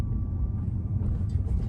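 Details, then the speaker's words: Renault Mégane 4 RS-Line, driving over a speed bump mostly in electric mode to check for suspension noises: only low even road rumble, no knocks, clunks or rattles. Gearbox is new. Suspension normal. "Vous le voyez, surtout en électrique là, vous entendez vraiment rien, c'est nickel, il n'y a aucun bruit. Le véhicule quand même se comporte super bien."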